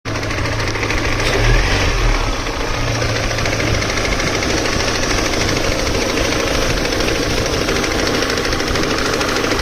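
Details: Engine running with a deep, loud, persistent uneven bottom-end knock; owner asks whether connecting rod, spun bearing or something else, cause undetermined.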